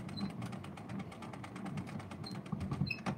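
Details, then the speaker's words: 1926 Victor Victrola VV 8-4 being hand-wound: steady ratchet clicks with a dry creak and brief high squeals from the spring motor; owner says the squeal needs attention. "yeah you could hear the squealing that needs to"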